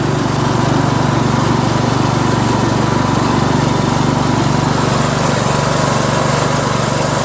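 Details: Craftsman LT1000 lawn tractor after new drive belt install (owner unsure it's the right belt), first test drive around the block: steady even single-cylinder drone, a little noisy, no knocks, misses or surging; engine running normally.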